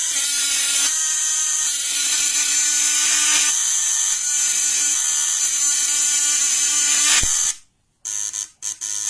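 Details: Rewound contact point (vibrator) bench-tested on two 12 V batteries in series for 24 volts: steady high, even buzz at constant pitch for seven seconds before cutting off; normal, solid contact point buzz, not heating up.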